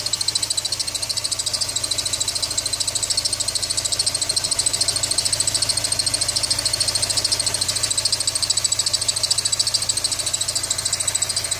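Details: ZMZ 409 engine after water got in: steady shrill whistle high over an evenly pulsing idle; owner suspects the belt, source not confirmed.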